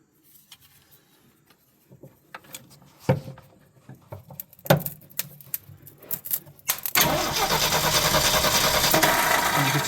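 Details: Long-stored project car cranking: clicks and clatter, then the starter spins it at about three turns a second but it never fires. The distributor cap later proves corroded from sitting, with sparking at the contact.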